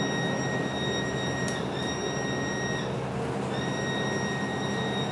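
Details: MAN NL323F A22 Gemilang bus (SMB223J) in service: a loud, steady, abnormal high-pitched whine over the low engine rumble, cutting out briefly twice, audible both inside and outside the bus.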